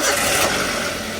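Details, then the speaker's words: Xenia brought in for running hot, cold start before warming up to check temperature: a short burst of cold idle, slightly rough and uneven but judged no problem. "Okelah suaranya ada kasar dikit tapi no problem lah kita coba panasin dulu ya"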